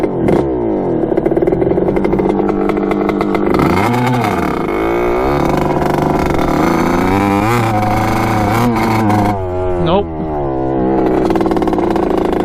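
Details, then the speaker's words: 1986 Kawasaki KX125 two-stroke dirt bike on its first ride; revs rise and fall unevenly and never clear into the power band. The owner suspects a fouled plug. "it's doing that same thing so running like crap i don't know why it's like i fold the plug or something already"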